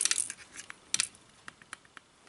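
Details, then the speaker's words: GSG MP 40 9mm PAK blank gun after a 500-round stress test: light metallic clacks in irregular bursts when moved, something loose inside near the front of the barrel; sight also loose; cause unknown. "Und innen drin hat sich irgendwas gelöst. Man hört da so ein Klackern. Ich kann euch nicht sagen, was das ist."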